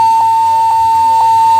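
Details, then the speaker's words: Lenovo G50-70 laptop: the display comes on briefly then drops to no display while power stays on. A steady high tone with short beeps about twice a second; corrupted BIOS is the finding. "दिखा रहा है कि laptop own है हैं और इसमें बीच दे रहा है नो डिस्पले"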